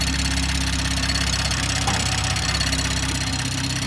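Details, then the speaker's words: BMW M340i (B58) after an upgraded port-injection manifold and direct-injection fuel system: a fast, steady machine-gun ticking of about three per second from the loud upgraded fuel pump over the running engine; considered normal. "Sounds like a machine gun. Right?"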